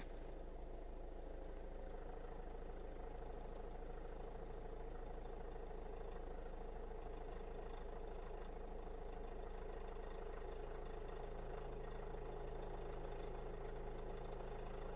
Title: Astra K 1.6 CDTI Timing Chain rattle